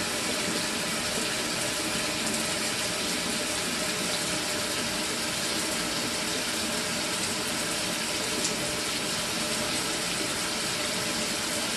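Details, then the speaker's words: Mira electric shower (possibly Zora model) tested after replacing the failed solenoid valve. It used to stop and start flowing a few minutes after switch-on. Now a steady, unbroken rush of water with no cut-outs or surging: normal flow, all fixed. "and then we have it it's all fixed now"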